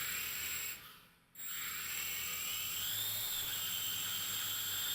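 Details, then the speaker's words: JJRC H98 camera quadcopter: piercing steady high-pitched whine over the motor hiss whenever powered, a second tone drifting up; loud, source unknown, unusual for newer quadcopters. "it's loud makes a high-pitched noise too it makes there's some kind of high-pitched sound coming from this thing"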